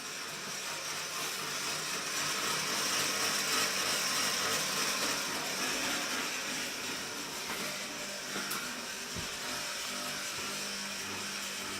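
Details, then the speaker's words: Off-grid tiny house fireplace USB fans run directly off the battery, solar on float: steady airy whir with gritty hiss; fans turning noisy. "Yeah, they're starting to get noisy. So we're all on float, and the fireplace's fans are running off of directly off the battery down here via that little guy there."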